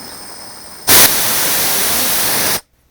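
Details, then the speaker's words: Air valve on a Delta 16-inch scroll saw air supply, held in a homemade aluminum bracket, air hose attached: a sudden loud, even rush of air for about 1.5 seconds, then a clean cut-off; the valve vents properly. "I can just a little bit of air come out. So that's what I'm doing."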